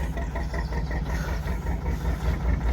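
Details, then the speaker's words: JP2 single-cylinder boat diesel started cold in December after three months unused: slow, even, low thump settling into a steady tickover with the starting-mechanism ratchet audible; runs healthy, ticks over better cold. "Always ticks over much nicer when it's cold."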